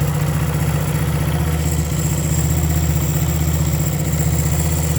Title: Bonus: 1975 Honda CB 125s Points misfire new ones ordered